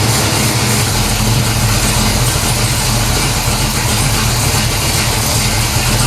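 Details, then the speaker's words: 1970 Pontiac LeMans 455 big-block V8, Quadrajet carb, first start after sitting long, transmission rebuilt after stalling in gear with silver fluid: loud, steady idle with even low rumble, no knocks or misses; healthy normal idle. "i think sounds awesome all right so it starts it runs"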